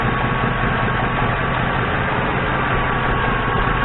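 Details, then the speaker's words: 2002 Ford Crown Victoria V8, 147,000 miles, at operating temperature with a vacuum gauge on the intake: steady, even low idle with no misses, knocks or ticks; vacuum about 20–21 inHg, a healthy engine. "and this is a 147 o2 so i would say that's a healthy engine 147 000"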